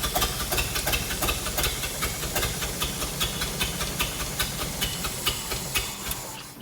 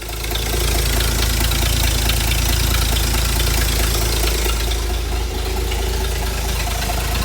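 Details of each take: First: Hobart APU cart's Ford inline-six, sitting 8+ years, started with fuel dumped in the carburetor, choke down: uneven popping firing two to three per second with hiss, then fading; fuel-starved, running only on primed carburetor. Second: Ford inline six (possibly a 265) in a Hobart APU cart, sat 8+ years, now running on its own after a new battery and a rerouted fuel line; low steady rumble, fairly even idle, no misses.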